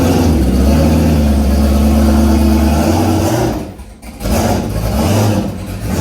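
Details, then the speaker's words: New built V8 that came with a race car: loud, lumpy revving with uneven chuggy tractor-like pitter-patter and a stumble as revs drop, also smoking; engine running rough. "let you hear it run and it sounds like a tractor not so much like a case more like a john deere a little pitter patter"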